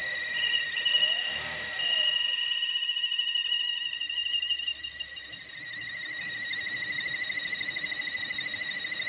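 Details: 2016 Chevrolet Cruze at idle: a thin, steady high whistle holds over a quiet idle without wavering; an air leak past a faulty PCV valve.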